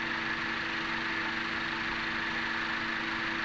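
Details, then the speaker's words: 2017 Honda Accord after Gumout all-in-one fuel system cleaner cleared combustion chamber carbon deposits; smooth, steady normal idle with no pinging or knocking, which was due to the carbon buildup. "also more importantly the engine knocking is gone let's listen here's the before and here's the after"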